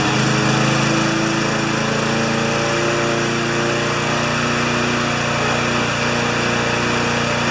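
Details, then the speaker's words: Older Briggs & Stratton mower, new plug fitted: loud steady engine with a rough, irregular knocking beat about two or three a second underneath; knock caused by engine mounting bolts loose in the deck frame. "why she's knocking ladies not wigs someone put a mark there it's okay it sure has a knock to it doesn'"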